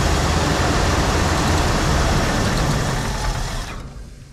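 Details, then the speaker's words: 1974 Ford Bronco V8, first start in over 16 years after fuel system work; little knock, oil pressure came right up; lumpy stumbling idle, owner suspects one cylinder down, rough idle. "Had a little knock, but oil pressure came right up. Not running on all 8. It's idling. Probably down 1."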